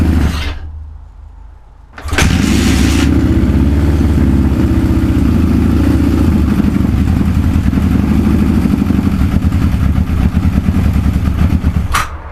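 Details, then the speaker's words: Suzuki GS550 four-cylinder cafe racer, first start after fixing shorting points wire and miswired ignition coils and adjusting carb jets: lumpy, uneven idle, carburetors not yet synchronized; rough running from unsynchronized carbs. "Next stage now is to put a carb synchronizer on, so I can get all the carbs running at once. It sounds like shit at the moment. It's got a meaty sound, but obviously carbs"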